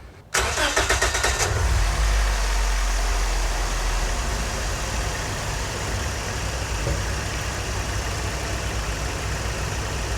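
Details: Scion xB after replacing the cylinder 2 coil pack that caused a P0300 misfire: short starter crank, quick catch, then a smooth, even petrol idle.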